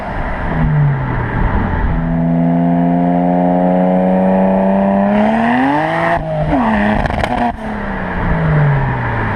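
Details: BMW 335i at wide-open throttle through the gears: engine pulls hard with rough stumble, misfire and backfire pops; fixed by replacing ignition coils and spark plugs.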